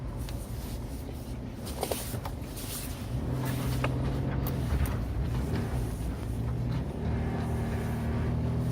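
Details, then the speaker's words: 2001 Chevy Tracker 2.5L V6 on a test drive after an oil change with fresh oil: even engine drone rising with road speed. The earlier lifter tick is gone; normal engine running. "And the four-wheel drive is still working, which, why wouldn't it? So yeah, runs pretty good."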